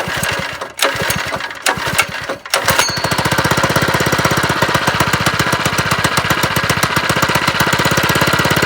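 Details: Homemade lowrider go-kart on first start, with the small engine loosely held by only three bolts and no throttle cable: after a few stumbling catches it runs fast with a harsh, rattly beat that sounds wrong; cause unclear.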